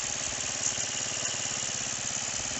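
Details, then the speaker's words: Roketa 150cc GY6-style scooter, first attempt to get it running: fast, even buzzing idle with a steady pulse and no stumbling; pilot mixture screw backed out almost all the way to compensate for jetting, too far out, over-rich idle. "see how far open like it's almost out we shouldn't be this far out that's too much"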